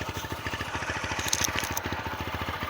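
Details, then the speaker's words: TVS Apache RTR 160 4V, 41,000 km, after head noise repair and replacement of a long-unchanged, fully choked air filter, during a brief throttle blip. Even exhaust pulses about ten a second with a clean rise and no knocks or rattles; normal running. "इसलिए हम इसका air filter भी हमने replace कर दिया है। वो हमने रॉक चेंज कर दिया था ना इसलिए बहुत ही बढ़िया साउंड निकला है।"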